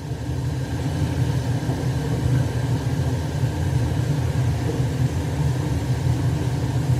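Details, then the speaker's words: Weil-McLain 305,000 BTU hot water boiler, high CO: deep steady burner roar swells as gas pressure is raised from 2.43 back toward 3.5 in WC high fire; regulator suspected faulty, boiler condemned. "so i'm going to turn this back to three get 3.5 what's supposed to be if you're using the the tesla you can't uh you know you got to have the manometer on there you can hear it increasing"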